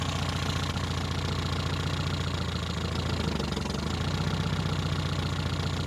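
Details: 1973 Toyota Hilux with the 18R 2.0L four-cylinder, first start after about 20 years abandoned, running once fuel reached the pump: a low, uneven beat around 220 a minute with irregular knocking through the idle; rough running.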